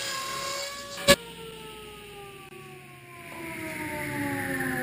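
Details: 8-tooth low-kick ripping blade on a table saw ripping generic 2x4s into 1-inch stickers; clear whir whose pitch sags and steadies as it loads into the wood, individual teeth strikes audible: normal, even ripping cut.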